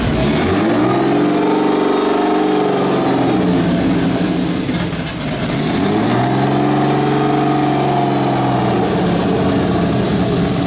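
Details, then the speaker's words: Turbo BMW E36 (72mm KKK turbo, KDFI ECU) just started, cold: idle rises and falls in slow swells about every five seconds; owner attributes idle surge to a vacuum leak, says it calms once warm; coolant low, suspected air bubble. "Don't mind how it's idle surging right now. Obviously there's a vacuum leak, but it does calm down once it warms up."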